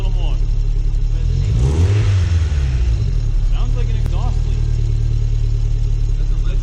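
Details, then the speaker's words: Second-gen 3SGTE in an MR2, running after its first dyno session, which left a slight ticking: quick throttle blips and sharp drops bring a faint puff under each rev instead of a clean note, sounding like an exhaust leak; heat shield to be removed to locate it. "Do that again, like rev it and like give it quick revs. Sounds just like an exhaust leak."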